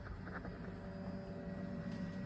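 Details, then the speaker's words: 1994 Toyota Supra MkIV, 1251bhp, after a new fuel pump and fuel sock were fitted to fix fuel pressure issues: steady, even priming hum with a faint whine over a low rumble. The pump primes normally. "I've tried one um turn and everything sounds like it primes and turns on um slightly bigger better version of The W Bros it does sound a bit different also"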